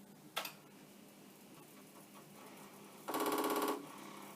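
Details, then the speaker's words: Commodore 1541 disk drive on a Commodore 64, no disk inserted, sent an initialize command with the error light flashing: a single click, then a quick even burst of rapid head knocks, the normal head seek on initialize. "and of course the error light is flashing but that sound is good sometimes just the sound of things can tell it"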